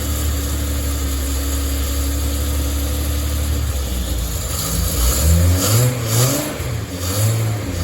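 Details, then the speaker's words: Datsun 240Z engine, first start after a fault kept it from running, not terribly cold: lumpy surging revs held on throttle, won't idle on its own until warmed up; seems okay once warm. "but as you can see it's not staying idling on the tone once it warms up it seems to be okay"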